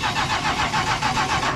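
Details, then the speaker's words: 1977 Chrysler Town & Country wagon with a 440 V8, abandoned and being revived on a borrowed battery: strong, even cranking at about seven compressions a second that never catches. It is a healthy crank, but it doesn't seem to be getting fuel. "I don't think it's getting any gas. No, but you hear that crank? It's a healthy crank."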